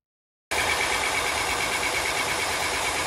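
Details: 2015 Honda Pilot 3.5L i-VTEC after harmonic balancer, timing belt and tensioner replacement: after a brief silence the engine settles into a smooth, even idle with a faint high whir and no knocks. Normal idle after repair.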